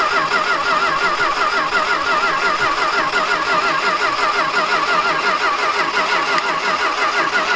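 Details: Dodge stepside truck jumped to the battery, with fuel fed into the carburetor and a weak battery: the starter churns at about 86 beats a minute with uneven compression pulses and no firing; cranks but won't start.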